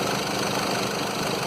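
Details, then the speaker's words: 2011 Mercedes Sprinter 313 diesel idling: seized alternator overrunning pulley makes the belt slip and shakes the engine with a coarse buzz; the belt squeals when steering adds power-steering load. The pulley bearing itself isn't squealing; replace it, don't recondition. "mas como a polia do alternador está travada faz com que a correia vem agilizar fazendo aquele barulho do está gritando"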